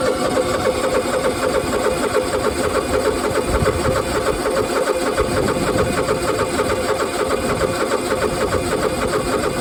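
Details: Long, steady cranking churn at about three turns a second with no firing yet on a used zero-turn mower that sometimes takes very long to start; cause not identified.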